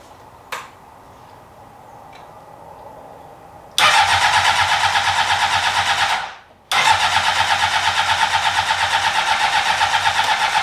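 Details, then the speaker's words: 2003 Honda CBR600RR, revived project: starter spins steadily, pauses, cranks again without catching; fuel pump runs when jumpered, relay suspected bad, tank to be removed. Crank no start. "all right I'm tired of cranking on the starter so I've got like 20 minutes to spare before I have to leave"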